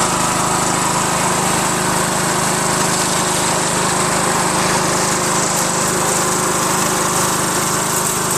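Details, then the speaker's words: Craftsman LT1000 lawn tractor with a 21HP Briggs opposed twin, after a carb fuel pump swap: it screamed at a high ragged speed as the governor went up. The governor is out of adjustment, causing overspeed. "that caused it to just bow you know rev super high uncontrollably it wouldn't respond to any of the controls over there as I was trying to lower the throttle you know"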